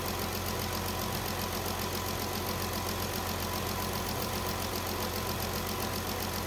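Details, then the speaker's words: 2017 Dodge Journey after P0202 cylinder 2 injector circuit misfire repair with PCM replaced: even steady idle with constant level and no missed beats or stumbles; runs smooth, still to warm up and test drive. "PCM is in right now we're running smooth we do need to let it run warm up and then go on a test drive make sure that the injector is going to stay firing and everything's okay"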